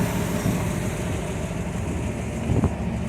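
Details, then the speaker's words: V8 idling after replacing #4 cylinder roller lifters (one collapsed, one stuck), rockers at half a turn: light busy chatter over low rumble, attributed to linkboard chatter; owner wonders if rockers contact the aluminum valve covers; valvetrain chatter at idle. "all you're hearing now is linkboard Chatter"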